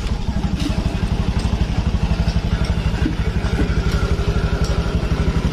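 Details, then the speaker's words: Honda Beat digital 2018 scooter idling after repair: steady even low thump, about four pulses a second, no rattle. The earlier rough, noisy running was caused only by the cam chain tensioner. "keteng saja yang bermasalah tidak balik lagi motor enak respon"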